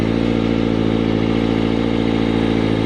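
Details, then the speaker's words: Motorcycle after adjusting the automatic cam chain tensioner, which had not tensioned the chain enough so slack banged around; close-up idle now smooth and even, no cam chain rattle or ticking. "well looks like it worked I'm not getting any chain rattle from inside of the engine which is a very good thing"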